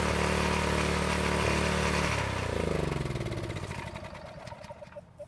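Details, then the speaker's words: County Line tiller single-cylinder engine that wouldn't start after storage with ethanol gas, after fuel-system repair, fresh gas and choke: takes a couple of pulls, then settles into a fast, even beat and winds down smoothly; normal running. "So it took a couple of pulls to start up, but it seems to run very well."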